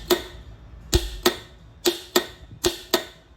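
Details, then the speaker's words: Promatic solenoid test, power feed from the fuse jumped directly to the solenoid: seven sharp, dry clicks in about three and a half seconds, pulling in cleanly. "this is the power feed itself that's coming off the fuse I'm just going to touch these together you can hear the solenoid"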